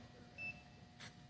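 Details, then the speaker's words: TyreAid hardwired cab tyre pressure monitoring unit gives one short high beep over a quiet background, warning of a low tyre; the driver must go out and check which tyre. "only if there's a low tire it changes and says well tire and when it says low tire in the cab the driver needs to go out and see which we is fashion"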